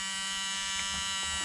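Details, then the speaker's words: Ford Fiesta Mk2 XR2, hazard lights switched on (horn and indicators also not working): continuous thin electric buzz with no on-off clicking from the hazard flasher relay, buzzing instead of switching, so the relay has failed. "right so the relay for the hazards is obviously not working can hear it buzzing just need to find out which one it is"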